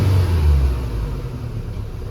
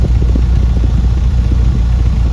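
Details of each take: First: Ford Fiesta 1.6 with codes P0301 and P0303, heard at the exhaust: a deep, uneven, helicopter-like rumble that won't accelerate well, misfire from a failed ignition coil output terminal. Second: Ford Fiesta 1.6 with codes P0301/P0303 from a failed coil output terminal; exhaust check after the coil fix shows even puffs at a steady idle beat, no skipped or popping pulses, all cylinders firing cleanly.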